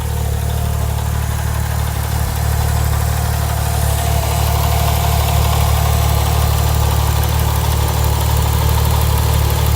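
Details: Porsche 997 Turbo Mk1 idling with the engine oil warm, with a light, regular ticking of about four per second on top of a steady idle; owner unsure of the cause.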